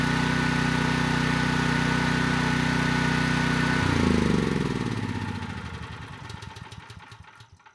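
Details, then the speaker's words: Storm Responder 6500 W generator (model 030728-00), engine advertised as zero hours, runs briefly before disassembly; the single-cylinder engine starts right up and holds a steady, even beat, then coasts down cleanly. Engine sounds healthy, though the generator produces no power. "no surprises here I mean that engine started right up and it sounds good"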